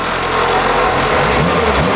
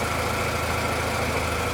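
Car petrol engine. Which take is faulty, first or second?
first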